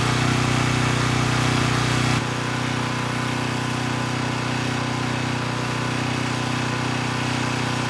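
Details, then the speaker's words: Coleman Powermate Pulse 1850 generator (1996 engine), after repair and governor speed reset to about 62 Hz: steady drone dips slightly as a space heater slightly over its 1500 W rating comes on, then holds smooth and stable at 114 V; normal running under load. "i think we're in pretty good shape the generator is only rated at 1 500 watts and this space heater actually pulls slightly more than that and i was able to maintain voltage of 114 volts"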